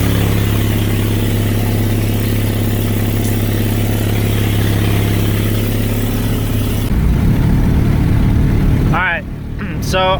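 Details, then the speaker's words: Honda with failed head gasket, treated with bottled sealer, two leaking cylinders disconnected and plugs pulled: deep, steady idle with uneven lumpy pulse, no clean firing rhythm, running on two cylinders. "still running on two cylinders I don't know if that stuff's any good but I know those cylinders that I have disconnected and I pulled the plugs"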